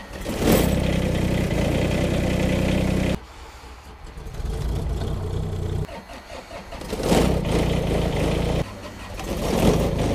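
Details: Kubota small diesel tractors in cold winter weather: short cranks catch quickly into a clattering diesel idle, one machine after another. Normal, easy cold starts.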